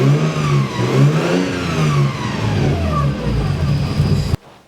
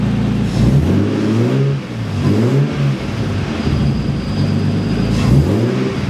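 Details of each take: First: Nissan S13 after water pump replacement, engine briefly run with other accessory belts off and water pump not turning: thin whine rising and falling with revs traced to the timing belt and its pulleys; belt tensioned too tight. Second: Nissan S13 after re-tensioning the timing belt to spec, brief run without a radiator: short throttle blips rise and fall smoothly with no whine; the overtight-belt whine is fixed.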